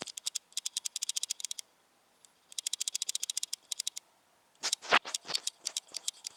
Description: The clicking issue from the new sony nex-5n